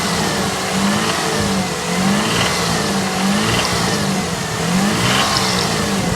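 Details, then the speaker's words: Mitsubishi Montero III 6G74, 2000 km after rebuild with bore for oversize pistons and rings, contract crankshaft, original standard bearings: knock appears around 2000 rpm when revving, absent at idle. Owner suspects connecting rod. "Появился стук двигателя. При оборотах 2000. При газовании. А так на холостых работает нормально."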